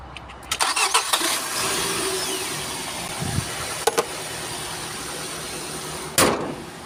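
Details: Nissan X-Trail T30 after a no-start problem was fixed: brief cranking and a few clicks, then the engine catches and settles into a steady, even idle. It starts normally.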